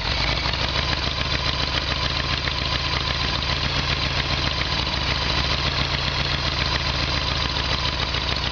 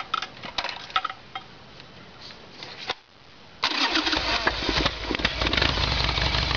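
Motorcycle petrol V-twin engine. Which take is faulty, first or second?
second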